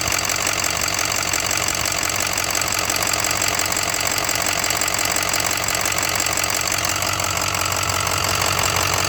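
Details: 2006 6.0 Powerstroke diesel V8 at idle: steady clatter with a sharp, regular tick about three times a second; owner unsure whether it is lifter tick or rod knock, cause undiagnosed.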